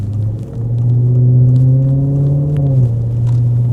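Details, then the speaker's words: Vandalised Maserati GranTurismo, running after repairs: deep, loud droning rumble that swells as revs rise, far too coarse for stock; the exhaust system is ruined. "Ei oo kyllä hävit pakoputket. On kyllä pilattu täysin."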